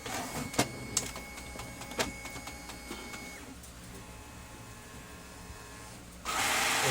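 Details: Brother DCP-T420W printer: a few sharp clicks and clacks, then a loud, harsh whirring grind as paper is picked up; broken pickup gear.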